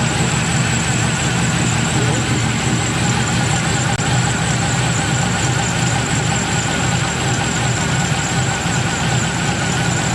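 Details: 1996 Impala SS with 5.7 LS swap, tune dialed in and new idle air control valve: steady, deep idle with a slight lumpy cam lope, no ticks, knocks or surging; settles low and idles smoothly, normal idle.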